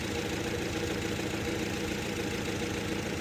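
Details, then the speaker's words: 2011 Nissan Frontier 2.5, P0300: rough, uneven idle with a stumble as cylinder 3 drops out; scope coil test shows cylinder 3 missing after compression tested good; coils sit under the intake, bad coil or wiring not yet determined. "Like we got one, three, two, four. Three is missing."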